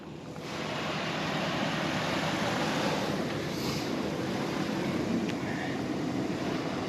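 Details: Morrflate Ten Six air compressor inflating truck tires from about 15 to 35 psi through a DIY four-tire hose system, truck running: steady, even buzzing rumble without surging or cutting out; pumping normally.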